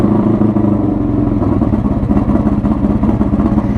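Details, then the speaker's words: 1982 Honda Magna V45 VF750C V4 with straight pipe, foil-sealed, cold start: loud, raspy, throbbing idle with open-pipe bark, firing evenly without misses; normal cold idle. "She has no problem firing up."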